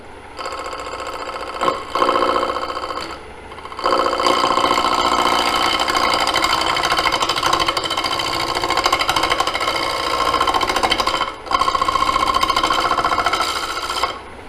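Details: Gouge held against the body turning a square bowl blank: rapid regular chattering bursts, about three per second, as it clips each passing corner; normal intermittent cut across the corners.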